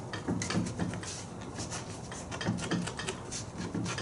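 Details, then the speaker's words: 1998 VW Jetta TDI, 364,000 miles, raised rear wheel with parking brake off: sharp clicks and dull knocks as the wheel is rocked top to bottom, from play in a loose, worn rear wheel bearing. "hear that clicking the wheel is actually that's a little loose on the wheel bearing itself"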